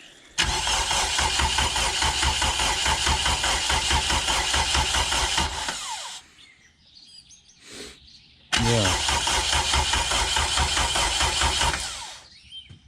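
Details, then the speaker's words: Honda K20 swapped into EF hatch, first start attempt with fuel pump off/bypassed: two long bursts of even starter cranking, never catches; crank no start from no fuel, fuel pressure regulator still to sort out. "yeah it just needs fuel now so we gotta [ __ ] around with the uh fuel pressure regulator"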